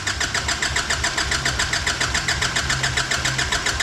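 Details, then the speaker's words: Nissan Patrol diesel after new injectors, seals, fuel filter and EGT sensor: even cranking pulses about three or four a second without firing; air in the fuel system after the filter change, needs priming. "come on we're expecting this obviously we've changed the fuel filter"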